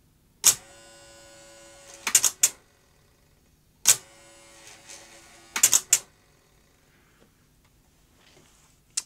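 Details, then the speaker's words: Philips N1502 (VCR N1500 format) video recorder, garage find, first deck test after counter belt work: steady motor hum between sharp clunks about every two seconds, and the tape never laces. The lacing motor, gearbox or drive belt was suspected, most likely a slipping drive belt. "it sounds like it's trying to well lace or on lace i'm not sure it sounds like it's yes what should be happening when you put the tape in is it should lace up so it sounds like there may be a problem in the lacing uh motor gearbox or drive belt"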